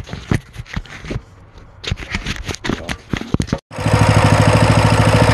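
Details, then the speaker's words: Coleman CT200U trail bike after a high-idle-at-startup fix and governor bypass, with the idle set by the idle screw so the clutch doesn't engage. After some clatter, the engine settles into a quick, even putter with no misses; normal idle. "you can adjust the idle from this roof to get the idle to where the clutch is not engaging and it's island at a good clip"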